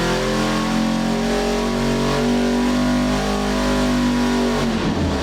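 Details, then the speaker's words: Custom EFI 632ci big block Chevy with hydraulic roller valvetrain and Holley Terminator-X, running on engine dyno; loud deep even roar at full throttle, no misses, knocks or rattles, sounds mean and rowdy, healthy. "sounds mean routy nothing sounds better than a big block"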